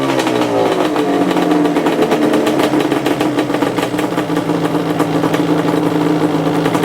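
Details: 2002 Yamaha Banshee two-stroke after its kickstart rebuild: a crisp, buzzy note climbing and falling cleanly with the throttle, no misfire or rattle, the engine pulling and running healthy.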